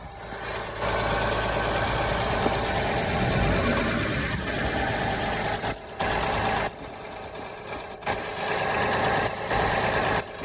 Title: What is wrong with our Odyssey!? ..Exhaust/vacuum leak?